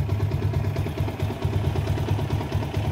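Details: Yamaha Sniper 150 single-cylinder with error 46 and 96, just push-started, battery voltage rising toward 14 V: steady, even low thrum with a smooth regular pulse and no knocks or rattles; normal clean idle.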